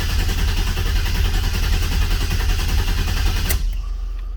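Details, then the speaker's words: Olds 442 rebuilt with a new cam, pushrods, oil pump, valve springs and heads, cranked with no injectors plugged in and no fuel pump: heavy, even cranking for about 3.5 seconds without firing, to build oil pressure. "got 60 pounds oil pressure cranking John that's what I just got yeah I'll crank it some more just to make sure it's up the top"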